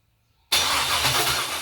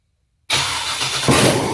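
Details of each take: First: Junkyard LS 5.3 V8 on an engine stand, first fire: silence, then a sharp pop into a rough, ragged roar and a second bang; backfiring from running rich with fuel-soaked cylinders. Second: Junkyard LS 5.3 V8 on an engine stand, run briefly with no coolant, cranked by its original starter via a power probe, catches quickly into a steady, even idle with no knocks or stumbles; healthy.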